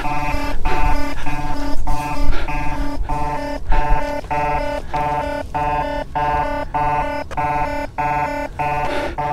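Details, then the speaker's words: Gotway MSP 18-inch electric unicycle climbing a steep mountain hill in an overheat stress test: a steady pulsing alarm tone repeats about every 0.6 seconds over motor and road noise. This is the temperature warning. "that's my temperature alarm on and we log it sounds like something's got a self-destruct"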